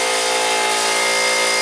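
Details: Harbor Freight 125 psi compressor, discontinued model, running after failed electrolytic cap replaced with two run capacitors in parallel (old value 140MFD, slightly oversized): loud, steady buzzy pump drone, constant pitch, no knocking or stalling; pumping up normally toward 125 psi cutoff.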